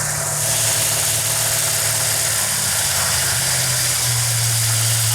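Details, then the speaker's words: 1968 Dodge Charger R/T 440 on a run stand with great oil pressure, idle backed down from about 2500 rpm: steady, even V8 rumble with no knocks or misses, idle still a little high; healthy. "that's a good idol right there for right now it's a little high but that's okay"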